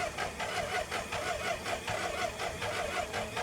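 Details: BMW K100RS motorcycle sitting since 2007, after fuel tank rebuild and new fuel pump, fuel spraying: starter churns in a regular rhythm, a little over one beat a second, never catches; cranks but no start.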